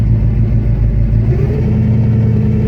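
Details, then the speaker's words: 351 Windsor Fox-body Mustang driving after 10 years of neglect: low engine drone under load with a faint steady whine from the pump side. Owner says the Ford power steering pump is badly worn and only sort of working. "Power steering pump is Pretty fooar. Oh, it's kind of working at the moment. Sounds like it has straight cut gears, but nope. Just classic Ford power steering pump sounds."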